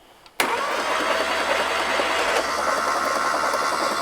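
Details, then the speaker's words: 1960s VW Beetle 1500 air-cooled engine, 8000 miles, sat unused since 1973, on the floor with spark plugs out: steady, even starter spin with smooth churn and no catches or knocks; turns freely with compression. "got the compression let's run it a bit let some oil come around"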